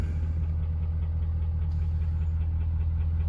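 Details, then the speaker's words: 2019 Ford F550 6.7 Powerstroke at idle with a cylinder 5 contribution/balance code: deep diesel idle with a faint, uneven knock; piston suspected slapping the cylinder wall, likely needs an engine. "For it knocking the way it is, I'm pretty sure it's slapping up against the cylinder wall."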